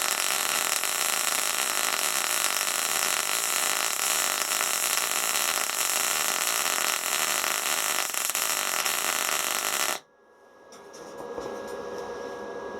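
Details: SIP Autoplus Mini 130 synergic inverter welder, gas MIG with solid wire on 3 mm plate, pushing: even, steady frying hiss, a singing noise, for about ten seconds, then a clean cutoff; stable, well-set arc, normal.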